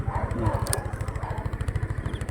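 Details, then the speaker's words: Rusi Rapid scooter, unused for two years, with a rusted carburetor that had caused misfiring, no idle and hard starting: after the carb repair it idles calmly and steadily at about ten even pulses a second with no dips. "pero ngayon okay na okay na gagamit na siya ng maayos"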